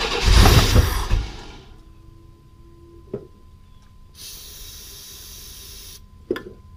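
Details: 1995 Chevy S10 Blazer, 4.3L Vortec V6: a loud, rough one-second burst of firing on starting fluid, then quiet. This proves the timing had been 180° out and is now fixed; it has no fuel system yet.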